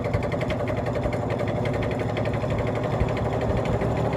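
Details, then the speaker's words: 1950s General Electric three-speed box fan on low: low steady hum with fast regular rattling shake, blade assembly unbalanced, bearing has play, needs oil, motor extremely loud; damaged in shipping. Finding: fan imbalance. "that is shaking worse than i have ever seen a fan shake this thing needs to be balanced it needs oil"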